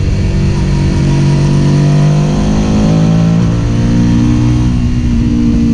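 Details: Suzuki SV650 V-twin motorcycle revving and holding: rough uneven note breaking up under throttle; engine misfire, cause unknown.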